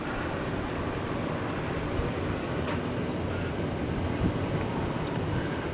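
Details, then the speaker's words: Campervan roof fan switched from auto to manual and run at full blast. Smooth, steady airy whoosh with no rattle or tick, fairly quiet: normal fan running at full speed. "That's her going to full blast. And she's not very noisy as you can hear."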